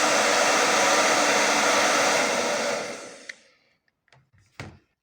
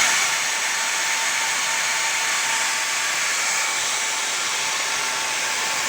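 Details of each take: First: Hair dryer after motor replacement with an aftermarket motor, professional-grade salon dryer used for several years: steady even whoosh at constant pitch, no rattle or scraping, then clean spin-down; repair successful, normal operation. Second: Old worn motor from a professional hair dryer used for several years, run before replacement: steady airy high whirr with a thin tone near 900 Hz and no low end; worn brushed motor with a blackened commutator.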